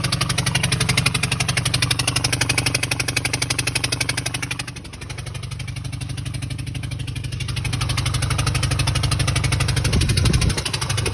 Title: 2014 Ford E-250 4.6 engine knocking noise